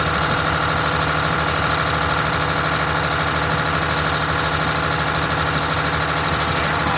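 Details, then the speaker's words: Rebuilt Detroit Diesel 6V92TA two-stroke in a Wanderlodge bus, after sitting a long while, at idle: fast, even running about 400 RPM too high, well above the roughly 600 RPM target. Idle speed is set too high, before adjustment. "the idle is way too high on it so we're going to figure out what's going on with the idle on it I it's like 400 RPM too high"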